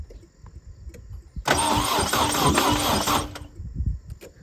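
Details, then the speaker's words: 240 after headers and interior work, first crank attempt: loud, rough two-second cranking burst with uneven chuffing and no catch, harsh and ragged, cause not clear; harsh cranking. "all right. It cranks. So, that is one step closer now. >> Hell yeah. This thing sounds disgusting."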